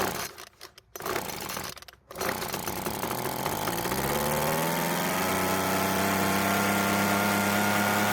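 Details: Free Weedeater leaf blower that wouldn't start, after repair: small two-stroke catches after a couple of pulls, then settles into a steady, clean, even buzzing run; normal running.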